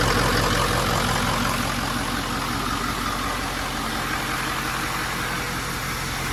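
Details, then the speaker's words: 6.0L Power Stroke diesel swapped into a 1974 Ford crew cab on a 2006 F350 chassis, running after fuel priming and a new battery: steady diesel clatter at an even idle, no stumbles or surging; normal. "perfect that actually works pretty slick the little fuel thing take that as a win"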